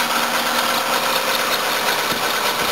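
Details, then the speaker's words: 1984 Toyota Cressida at idle: a constant hissy chirping squeal from the accessory drive belt, briefly quieted by water; belt worn, needs replacement. "That's making some noise. That belt's noisy. The engine's a little bit. Look, I might be able to save her. That belt's rooted."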